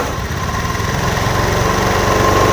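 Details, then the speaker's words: Beat ESP injection bike that stuttered only on initial throttle due to a TPS with jumping voltage: small throttle blips now pick up cleanly, revs rising smoothly with no stutter; off-idle response normal. "normal normal normal teman-teman Ya hanya permasalahan dari TPS yang bermasalah dia loncat-loncat voltasenya saat awal digas"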